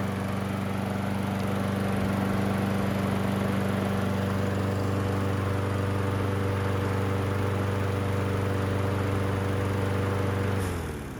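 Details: Trash-picked Toro Recycler 20377 self-propelled mower that would not start; after carburetor cleaning, air filter reinstalled and oil topped off: single-cylinder runs at a steady, even pitch, then shuts off cleanly; healthy, though low on gas.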